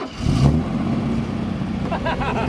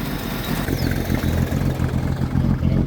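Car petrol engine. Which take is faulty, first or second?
first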